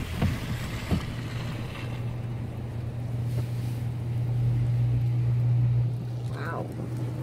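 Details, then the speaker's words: Downed power line hanging and arcing: loud steady low buzz with crackling under gusty wind. "can hear it arcing. Let's not get electrocuted, eh? Oh, look at that power line hanging down."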